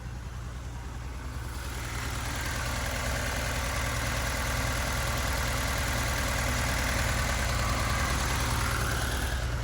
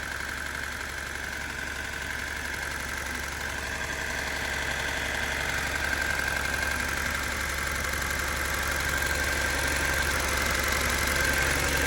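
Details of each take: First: Abandoned turbo Datsun 280Z after a wiring rebuild, first running: steady, even idle with no knocks or misses and fuel pressure present; the sound heard earlier was suspected to be the injectors. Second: Abandoned turbo Datsun 280Z freshly wired and running: steady light ticking about four per second over even idle; owner suspects injectors, unconfirmed.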